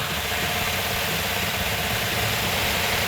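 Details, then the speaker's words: Freshly rebuilt 1970 Plymouth 'Cuda 340 V8, first start attempt, never run on an engine stand: starter cranks steadily at about three turns a second but the engine never fires; cranks but will not start. "in this particular case it's not a good sign because it's cranking over but it's not firing"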